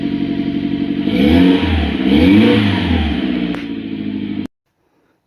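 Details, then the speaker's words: Mitsubishi Pajero Mini turbo, five-speed, after fitting a custom 2-inch mandrel-bent exhaust with a short turbo muffler: it catches, revs briefly twice and settles into a steady, even idle with a clean exhaust note and no knocks. "yeah sounds pretty good startup"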